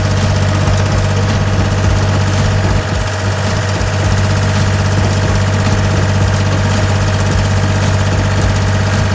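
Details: Gehl 4640 skid steer with Deutz diesel, after a no-start: steady, even diesel chug at idle with no knocks, misses or hunting; running smoothly.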